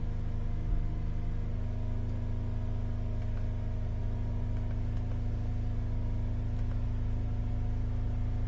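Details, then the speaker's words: Holden Captiva Chevy V6 towed in cranking but not starting, power balance test at a fast idle: deep lumpy hum with uneven pulses; disabling 1, 3, 5 drops rpm, 2, 4, 6 no change, so that bank is dead. "so one three and five noticeable differences two four and six nothing so we've lost two four and six that's proved by this Power Balance check that we've just done"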